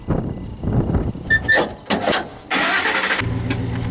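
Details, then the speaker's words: Jeep Cherokee with an intermittent no-start and no-spark condition. Short, uneven bursts of cranking that never catch, slowing and dying away. The battery is flat and jumper cables are needed, so the weak cranking comes from the battery. "you can crank it once see what happens oh it's dead we're going to to took the jumper cables up to it"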